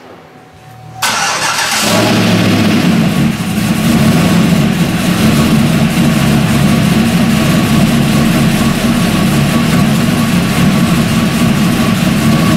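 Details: LS V8 first start after installing LS7 roller lifters, Yella Terra roller rockers and LS9 head gaskets: brief crank, then fast idle with light rapid ticking over the rumble from lifters not fully pumped up; hoped to quiet down.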